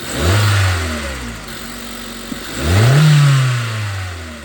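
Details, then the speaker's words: 2012 Hyundai Accent 1.6L after SeaFoam treatment and electronic throttle body cleaning (codes P2187, P2191): it catches, flares up, drops back, flares again and settles into an even idle; the earlier chugging and shaking are mostly gone. "Well, I think that looks better. Before you could see the engine shaking a lot. Before just you can still see a little bit now."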